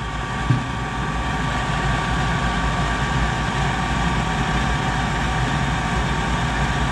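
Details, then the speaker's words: Goodman GPG gas pack, diagnosed for a bad spark ignitor, started with control-board jumpers in after rerouting; brief click at lighting, then a steady, even roar with a low hum: normal gas furnace startup. "okay everything started up"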